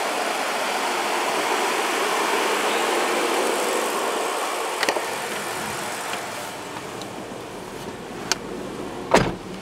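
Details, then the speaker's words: Chevy S10 after GUNK motor flush, cold start after sitting two days: fires up and settles to a quiet, smooth idle with no ticking; the earlier tick is gone, with good oil pressure. "you just heard absolutely no engine noise whatsoever not even not even a little bit of a tick just fires up no engine noise"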